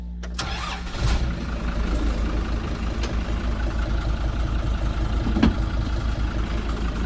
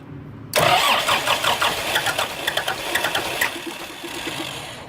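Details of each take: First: Kubota M120 diesel tractor, rebuilt after a fire burned the wiring harness, just after swapping the computer: cranks briefly, catches, settles into a steady even low chug with no misses or knocks; normal start and run. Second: Kubota M120 diesel tractor, sat four or five years, after wiring rebuild and PTO switch fix: starter cranks in a fast even churn but never catches; crank no start, owner suspects failed lift pump or air in the fuel, no fuel at cracked filter line.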